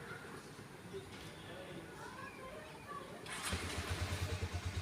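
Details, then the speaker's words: Harley-Davidson X440 brought in as a no-start, spark plug suspected shorting: quiet background, then engine catches and settles into an even, steady low idle thump; clean healthy start after the plug check. "तो check करते हैं चालू करके देखो गाड़ी चालू हो गई है अभी"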